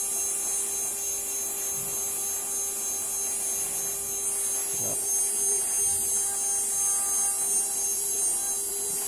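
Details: CNC spindle motor bench-tested before return to customer: smooth even high-pitched whine over a steady low tone, no shake or wobble or vibration; spindle runs quietly as it should.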